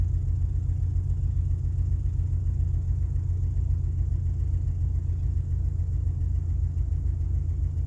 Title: rough idle on start up 2000 XLT 2.5 Lima